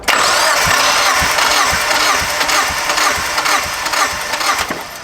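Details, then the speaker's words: Drift Miata compression test after a persistent misfire despite new coil packs, plugs and wires: steady, even cranking about two beats a second. Last cylinder reads 180; all cylinders healthy, so low compression is ruled out. "Dude, hell yes. We have a healthy motor that is absolutely ready for boost, baby."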